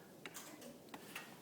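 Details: Genie garage door opener gives light dry clicks with no motor pull and the door won't close; jiggling or knocking the door, or pushing the set limit switch, gets it working again temporarily.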